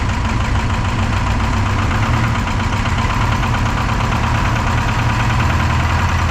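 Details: Detroit 4-53T turbo two-stroke diesel, 9G90 injectors, modulator off giving full rack, on diesel: loud rough idle with uneven knocking pulse; injector number two, coldest on IR gun, not firing when isolated with screwdriver; fuel pressure suspected.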